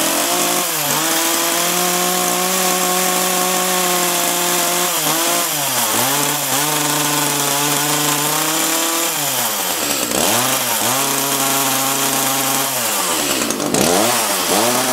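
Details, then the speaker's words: Echo CS-330T top-handle chainsaw, unused for years, hard to start and leaking oil: screaming high revs that sag and dip every few seconds before picking back up, starving at high speed; suspected carb needing a kit and a hardened fuel pump diaphragm. "turn that high speed adjustment out a little sounds like it's starving at a high speed probably needs a carb kit"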